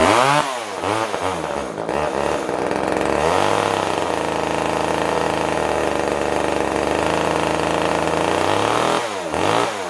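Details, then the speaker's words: Older Poulan Wood Shark chainsaw runs only on choke: two-stroke revs rise and sag unevenly, never settling to a steady idle, and dies with choke off; jets were set far out, weak fuel pull, owner suspects it needs a carb kit. "I'm going to think this thing is going to need a carb kit just by the way it's acting it's not really wanting to pull a lot of fuel it will pull tank fuel it just not a great amount enough to [Applause] run turn the choke off it'll"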